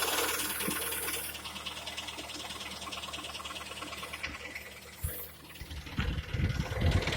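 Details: Hyundai/Kia G4KD engine with 102,000 km: a light, fairly quick ticking knock at about two per second rides over the idle; engine knock, source unclear.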